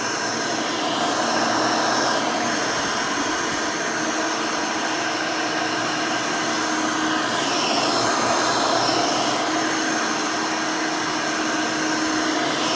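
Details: Rebuilt Hoover Elite 600 upright vacuum, built from parts of several Elites, with a new 7 amp motor and 20-blade fan in place of the original 6 amp: a smooth, even high-pitched whine holding steady with no grinding or surging. Runs sound and fairly quiet.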